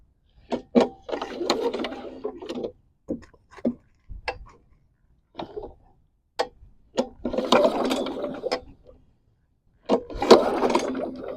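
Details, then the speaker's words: Non-running push lawn mower bought cheaply, fitted with the wrong, short-threaded spark plug and with oil in it; several rattly recoil pulls spin the engine without firing, and a spark tester shows no spark from the fouled plug, though it briefly fired earlier. "No spark unless I'm not pulling it over hard enough. But that's weird that it kicked off initially."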